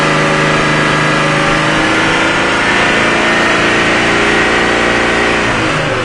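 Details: 2004 Jeep Laredo, about 271,000 miles, codes P0171/P0174 with random misfire and very high fuel trims; engine held at raised revs gives a steady drone with slight lean unevenness, and short-term trim response confirms a vacuum leak.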